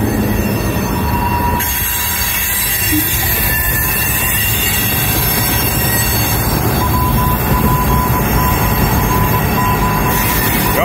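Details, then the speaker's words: Rail cars negotiating a curve: loud, steady high-pitched squeal over heavy rolling rumble and wheel clatter, as the leading wheel flanges press into the rail head and steer the trucks. "That's what uh produce most of your sound. High pitch squealing sound like that."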